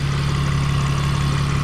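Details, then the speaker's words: 2001 BMW E46 idling after a Motor Medic engine flush and oil change: steady low hum, the abnormal loud ticking and the squeaking pulley now inaudible, only the usual faint ticking: normal idle. "I can't hear it anymore. That normal ticking, that's it's always been there. Every engine sounds like that"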